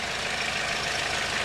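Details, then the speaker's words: Audi 80 diesel idling, clutch pedal released: a harsh loose metallic rattle rides over the steady chug, going away when the pedal is pressed or pumped; believed to be the clutch throwout bearing, gearbox must come off to reach it. "And that should be the clutch throwout bearing making that noise"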